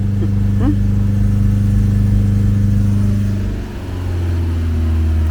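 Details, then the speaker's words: Ford Capri garden find just started with easy-start spray, heard at the rear exhaust: deep, steady rumble, with revs held, easing down and picking back up cleanly, no misses or rattles; it runs well. "that's a really even exhaust note that is running really well do that again oh God it sounds good back here"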